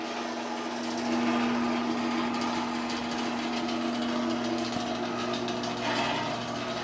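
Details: Sears garage door opener with new sprocket, door travelling: motor hum with a quick, uneven metallic rattle about four a second from the loose trolley; trolley rattle.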